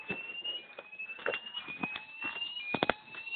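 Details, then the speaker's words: Gent fire alarm system test, smoke detector in alarm: the sounder gives a piercing, slightly warbling high tone near 2.5–3 kHz with a few clicks, working normally. "appear is making a very very high pitch noise so I'll just silence it you can hear the P again very high pitched"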